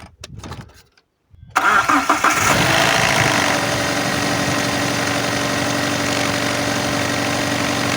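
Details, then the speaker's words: Alfa Romeo 156 Twin Spark, owner complaint of 3–4,000 rpm idle: cranks, catches, flares and settles to a steady but fast idle near 2,000 rpm that never drops; a loose cable was found, cause not confirmed. "well we had a problem on the okay cable came loose the cable just came loose over there which uh lets up the a little bit more on this case but uh okay I don't do not have 4,000 RPM right now I do I just have 2,000"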